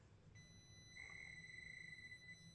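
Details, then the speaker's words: Traxxas TRX-4M Bronco/Defender RC crawler on slow crawl in low range: loud ESC gives a thin high steady whine near 2 kHz, described as beeping, over the soft crawl; annoying ESC motor whine. "and while I'm driving it you can hear another problem with the car which is the ESC as you can hear the ESC is really loud it makes a beeping noise just sort of a whine and I just that sound gets really annoying"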